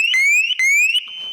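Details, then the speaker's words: Mk1 Ford Fiesta Super Sport barn find, parked about 20 years: aftermarket Viper alarm siren sounds loudly with high-pitched chirping sweeps then a steady tone; alarm works, though engine still has no spark. "Okay, so that now works. That was loud."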